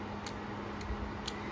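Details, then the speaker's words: TIG welder being diagnosed with a test lamp on its output: three crisp solenoid clicks about half a second apart as the lamp lights, indicating the TIG control system is working normally. "ติดแล้วเราจะได้ยินเสียงโซลินอยด์ทำงานดังต๊อกต๊อกต๊อกต๊อกแรงๆนะครับติ๊กอย่างนี้นะพร้อมกับหลอดไฟนะอันนี้คือระบบสั่งงานติ๊กปกติครับ"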